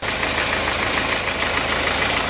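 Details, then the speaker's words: Diesel idling after engine repair, no longer shaking as before but not fully smooth: faint uneven patter under loud clatter; a slightly rough idle blamed on injector nozzles or injection pump position rather than the engine rebuild. "Tapi ini kurang halus menurut saya bukan pada permasan mesin tapi pada nosel atau Bos pomnya"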